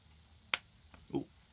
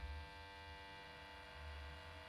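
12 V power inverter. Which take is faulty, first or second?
first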